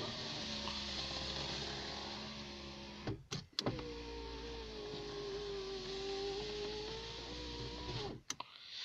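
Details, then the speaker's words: Citroen BX power window after its runners were greased to fix slow winding, door closed. The motor whirs smoothly for about three seconds, thumps at the stop, then runs cleanly back with no binding; windows go up and down much quicker, normal operation. "let's close the door imagine how quickly things go up and down much better"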